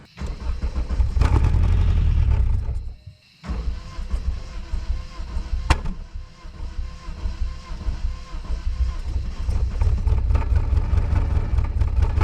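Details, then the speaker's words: Dodge Neon after sitting, cold start after long crank with throttle floored (flood clear): stumble then fast uneven ticking about four a second over rough idle; owner suspects lifters lost prime after sitting. "all right man that thing was uh I think was unhappy about starting but it started uh usually what happens when these sit is the uh the lifters lose their Prime they don't have any oil in them"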